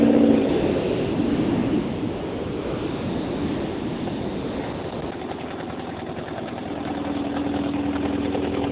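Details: 1978 Porsche 924 NA, stock Audi 2.0L L4 with K-Jetronic injection, at idle: a sharp tick about four times a second over the exhaust. Octane was ruled out and a manifold-to-pipe bolt is broken; owner suspects an exhaust leak.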